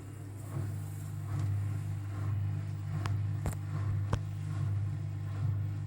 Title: Unbalanced rattling spin with bad bearings